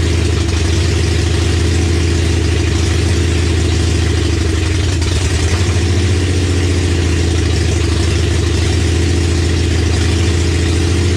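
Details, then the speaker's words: 1965 Comet with 5.0L V8 and T5 five-speed, first start on open headers after fixing fuel leak and checking timing; deep uneven loping idle, vacuum leak from a missing plug on back of the intake. "turns out there was actually a plug missing on the back of the intake so that's why i"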